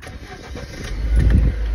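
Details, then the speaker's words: Lada Niva petrol engine on a cold start: a rough, knocking clatter as it fires up. Owner suspects the timing chain or its tensioner; cause not confirmed. "У меня в машине появился вот такой вот звук, когда завожу, я не знаю, или то ли цепь, то ли натяжение."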